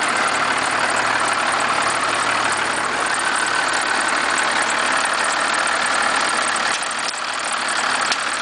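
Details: 1991.5 First Gen Cummins 12-valve diesel, cold start at about -10, idle: rattling knock of about three per second over the clatter; source cannot be pinpointed.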